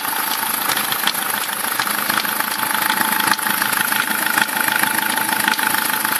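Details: SsangYong Kyron engine at idle: sharp uneven click-like knocks above a fairly quiet hum; owner cannot identify the extraneous knock's source.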